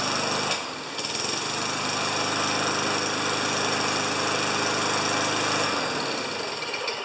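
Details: 29-year-old Rally electric-start mower, oil change still due, primed with three pumps per the manual: single-cylinder engine catches quickly and settles into a steady, even buzz with no misses or knocks; runs healthy.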